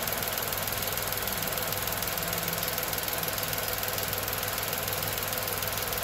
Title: Tata Nexon (BS6 2020 XZA+S) Petrol Engine noise with and without AC unit turned ON comparison